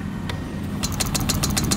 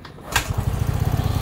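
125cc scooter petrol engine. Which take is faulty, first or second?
first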